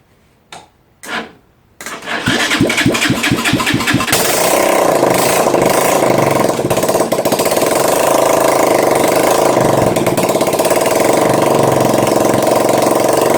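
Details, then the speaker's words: Neglected Honda ATC three-wheeler, cold start on choke after sitting a while: starter, which was suspected of slow cranking, whirrs briefly, then the engine catches quickly and settles into a steady even idle. "Okay, so we're going to need a bit of choke again, aren't we? Because it's been a while. So, a bit of choke, ignition's on."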